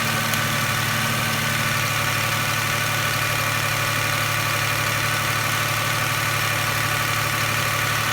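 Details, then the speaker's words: 1999 Toyota Camry Solara 3.0L V6, code P0304 cylinder 4 misfire: idle with uneven stumble, recurring lope a couple of times a second, chugging worse in gear under load; failed injector measured 500 ohms versus 14 ohms on neighbours. "might be hard to hear that if you put it in gear put a load on the engine you can hear kind of chugging misfiring"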